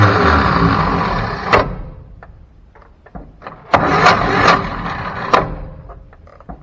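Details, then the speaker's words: 1957 Chevy 3100 six-cylinder, abandoned 57 years, cranks in short spurts that cut out, then clicks and restarts; the starter won't stay engaged long enough to crank it, suspected to be the starter, not the flywheel. "Yeah, I don't think it's the flywheel, I think it's the starter. If I can't get the starter to stay out long enough to check for spark, then I'm sure not going to be able to get it to stay out long enough to fire."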